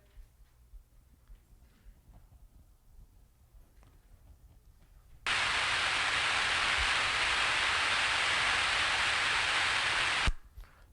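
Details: Pump heard via ultrasound after correcting cavitation by turning the discharge valve a quarter turn: steady, even hiss with no crackle or popping, running smoothly without cavitation.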